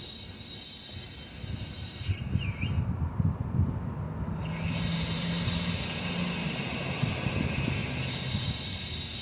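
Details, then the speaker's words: 2004 Lexus RX 330, towed in with no start: air pushed through a spark plug hole escapes into the coolant, giving a steady hiss with gurgling bubbles at the radiator neck; blown head gasket, likely warped head, possibly intake manifold gasket; water pump also leaking. "so the air escaping into the combustion chamber of course there's two two scenario here you can hear the bubbles"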